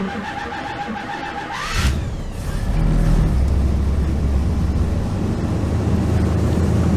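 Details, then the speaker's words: 1977 GMC motorhome started cold after months sitting under cover in winter, usually hard to start cold: brief crank, catches first try, settles into a smooth even low rumble; normal cold start, ran better than usual. "started first try okay so we warmed her up she ran great actually better than she usually does unless it's nice warm weather outside"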